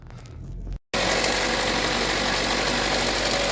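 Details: Idling petrol engine in a workshop: a busy metallic rattle about four knocks a second. The mechanic suspects the timing chain.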